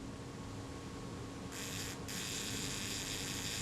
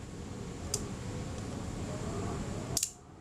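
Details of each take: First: Kodak Retinette type 022 shutter during servicing, before cleaning. Two even, fast buzzing runs of the speed train return to rest without catching; normal shutter speed train operation. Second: Kodak Retinette type 022 shutter during servicing, fired at 1/15 second: two crisp clicks with no real delay; slow speeds run fast and need adjustment.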